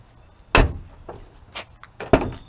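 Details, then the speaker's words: BMW Z4 door, built without factory sound deadening in earlier years: sharp, thin, tinny slams with a rattle and no solid thud, sounding like there is nothing inside the door. "it sounds pretty terrible and you could hear this as well sounds like nothing in there right that's because there isn't"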